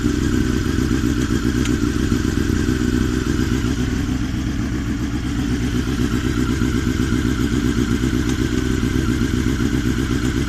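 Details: Honda CBR954RR idling with a light metallic clatter from the HTEV (exhaust valve); rattle caused by a loose HTEV spring, fixed by tensioning it.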